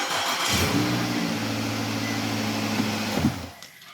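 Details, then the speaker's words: 2009 Nissan Altima towed in not starting, code B2607 steering wheel lock assembly fault; after jiggling the lock back and forth: starter cranks briefly, engine catches cleanly and runs smoothly a few seconds; normal start, lock fixed without replacement. "okay instead of buying a new part by working it back and forth we got it to work again"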